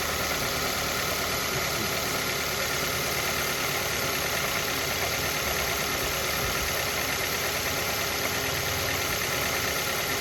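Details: Mazda Verisa at idle: a light, uneven tapping about three times a second riding on top; engine knock from inside the engine, cause unknown.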